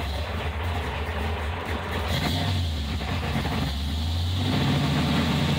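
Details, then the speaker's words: 1977 Chevrolet Corvette C3 with 383 stroker and 5-speed Tremec; revs climb and sag unevenly with lumpy choked note, engine loading up; fueling likely needs adjusting. "oh I think the car need some adjusting I think kind of loads up a little bit"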